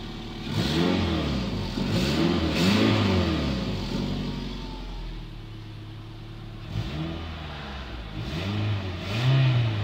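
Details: 2003 Toyota Highlander 2.4L engine rising and falling through several revs with a rough, uneven chuffing edge to the note; exhaust leak.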